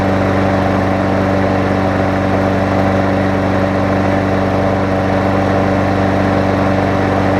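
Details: Toro six-and-a-half-horsepower Tecumseh self-propelled mower after repair, with new blade, carb clean, new air filter, new primer bulb and full service. It holds a steady, even beat at constant speed with no misses or surging and runs healthy.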